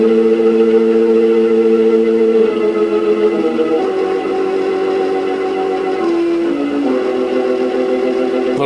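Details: Montgomery Ward Airline 62-425 'Indian Head' tube radio turned on for the first time after its electrolytic capacitors were replaced, playing from an Arduino AM transmitter: steady tones with a rough, buzzy edge throughout; audible distortion.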